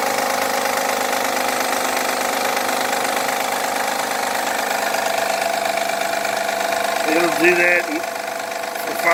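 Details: 2011 Honda Accord, cold start. Loud idle with a fast, uneven ticking clatter, as if out of oil, though it isn't; it goes quiet after 5–10 minutes of warming and returns after sitting an hour. Loud engine noise when cold.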